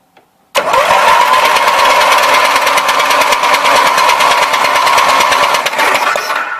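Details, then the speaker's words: Roper Rally 18 HP twin Briggs riding mower (5-speed, 44-inch cut), which doesn't start; seller blamed a sensor. Even starter churn at about three beats a second that never fires. No spark from one plug. "no there is absolutely no sport coming out of that plug"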